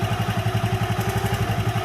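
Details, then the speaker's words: Honda Megapro motorcycle, warm engine, after fitting a new GL Pro CDI timing chain in place of the worn old one: even single-cylinder idle about nine beats a second with no chain rattle; healthy hot idle. "Dan untuk suaranya saya perbandingkan dengan yang awal tadi yang menggunakan rantai keteng lawas, ini tetap stabil, nggak ada gemercik yang terlalu keras saat mesin sudah panas."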